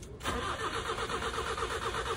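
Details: Nissan B13 with carbureted GA13 engine cranking steadily at about five turns a second without firing, after the radiator fan wiring was found wired directly to the ignition; no spark, crank no start.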